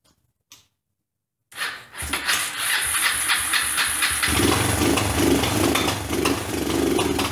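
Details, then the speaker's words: Kawasaki four-wheeler (ATV) after a home top-end rebuild with hand-ground valves, first start: cranks, then a ragged, lumpy idle with uneven pops and stumbles; good compression, valve timing believed off. "that's it for today I believe we got it out of time when I say we I mean me of course and uh I'll go back i'ma have to do a little research on the timing and see what the deal is and we'll get it timed and and running right"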